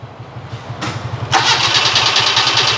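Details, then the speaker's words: Proton Wira no-start: steady starter churning about three turns a second with a hiss, engine never catches; no spark reaching it, traced to a faulty ignition switch. "Okey. Kalau macam ni, selalunya orang akan panggil tak boleh nak hidup. Tak boleh start lain. Tak boleh start dia kosong."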